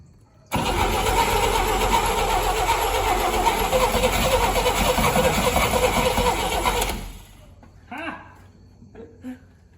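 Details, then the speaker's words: 1959 Rambler, 195 flathead inline-6, automatic, parked for years, full 12 volts to coil bypassing resistor; steady cranking about 3.5 turns a second with occasional catches that never take; spark present, owner suspects more fuel priming needed; coil later ran hot. "definitely seems like it's fighting against some ignition now yeah we got spark maybe it's been a while since i primed this thing maybe just need some more fuel"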